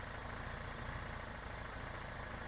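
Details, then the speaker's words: Motorcycle engine whose noise was traced to the gear train. With the crankshaft balancer turned 90° away from the crankshaft, the idle is soft, steady and even, with no gear whine or clatter, so the noise is gone. "vou pegar ele vou virar 90° vou colocar o peso do do virabrequim pra esse lado fazendo com que ele afasta do virabrequim e vou dar partida na moto podem reparar que o barulho sumiu"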